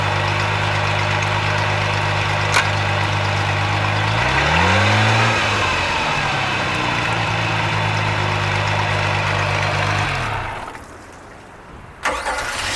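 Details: Mercruiser 4.3 V6 in Genesis boat, after replacing bad starter and rebuilding carb for a no-start: steady, even run with one smooth rev rise and fall, no misses or knocks, then clean shutdown; normal running.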